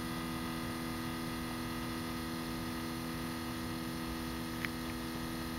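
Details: 2012 Scion tC, two months old, engine off five hours after driving: steady constant-pitch electrical hum and faint buzz from the rear near the exhaust; owner suspects exhaust or fuel pump, source unconfirmed.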